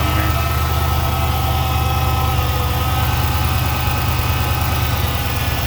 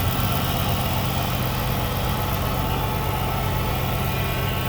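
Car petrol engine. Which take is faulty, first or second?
first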